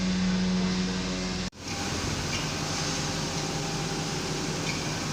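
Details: Mercedes S500 S-Class (2000-2006), crank-but-no-start case with low fuel pressure and both fuel pumps found faulty, fuel pump and filter job. Steady, even engine drone with no knocks, misses or stumbles; runs smoothly and sounds healthy.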